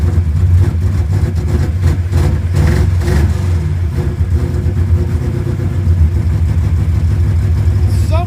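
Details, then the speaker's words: Carbureted V8 car returning to the road after 27 years, spark plugs cleaned: a lumpy, stumbling idle as if on three cylinders. Flooding is caused by a dead fuel pressure regulator, with pressure up to nine, overpowering the carburettor floats. "Sounds like crap. It sounds like it's running on three cylinders. I don't know what's wrong with it."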